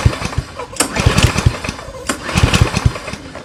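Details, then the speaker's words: Yardworks self-propelled mower, 173cc engine, no start: uneven rope pulls with a few low chuffs but no firing; suspected flywheel brake cable not pulling back far enough, leaving ignition coil grounded. "is it's not pulling this brake and disengaging the brake far enough, is what I believe."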